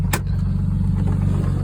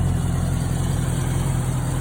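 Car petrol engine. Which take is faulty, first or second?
first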